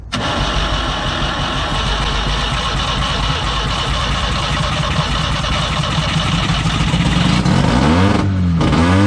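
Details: Engine with new header/turbo setup, after reconnecting the red wire: catches at once and settles into a steady even run with firm low rumble; normal engine start.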